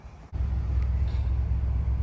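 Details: 7.3L Godzilla V8 Super Duty at about 90,000 miles, first start after new spark plugs, wires and air filter to fix a stumble and a misfire under load: it cranks, catches and settles to a deep, steady idle with no stumble and no codes.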